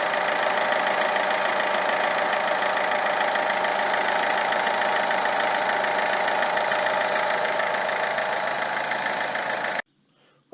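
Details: Peugeot 307 2.0 HDI 110 hp diesel, 240,000 km, idling: quick regular chatter, about three beats a second, from the belt end below the alternator; faulty Bosch alternator decoupler pulley.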